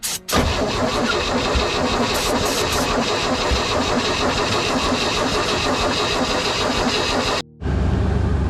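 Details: 1964 dump truck not run in 15 years, cranked with ether sprayed in after battery charging and with compression seemingly present: a steady, even cranking whir for about seven seconds that never fires. It will not start; new points and condenser are to be fitted next.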